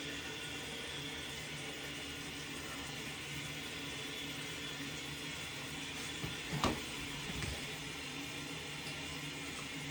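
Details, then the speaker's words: Toilet tank refilling after flapper valve replacement: steady hissing rush of water, even apart from one brief clunk; the former constant running-water noise is gone, repair fixed. "Okay, it is filled, and let's see if it has that running water noise. And there you have it. The toilet is fixed. There is no running water noise."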